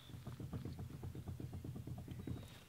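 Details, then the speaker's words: Car with rear drum brakes, jacked up, front wheel shaken up, down and side to side: rapid dull clunks about five a second; definitely loose, owner suspects bad right front wheel bearing or brakes; loose front wheel clunk. "you guys know you guys can hear this clunking when I shake it up down side to side that"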